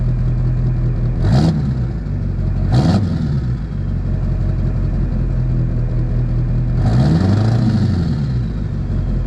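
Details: Duramax diesel (2001-2016 range) after installing Dynovox stainless up-pipes replacing the OEM pipes. Steady idle rumble with three quick rev blips that rise and fall cleanly, with no clatter spikes or exhaust puffing. Normal, healthy running.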